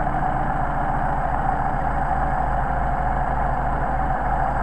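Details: Mercedes 190SL with rebuilt Solex carburettors on test: idle mixture screw turned far out to the over-rich extreme, engine idles with uneven lumpy beat and occasional stumbles, before finding the best midpoint.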